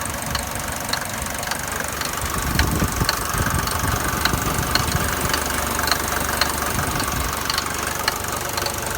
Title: Mercedes 200D W124 engine knocking noise